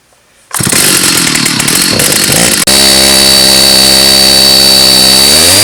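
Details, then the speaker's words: Stihl 084 AV chainsaw, about 35 years old, found discarded, first start after repair, backfiring: ragged and uneven for two seconds, then screams at a steady high pitch creeping upward; sounds poorly tuned, carburetor L/H adjustment suspected needed. "I think we better get the screwdriver and give her a tune-up. She doesn't sound too great at all."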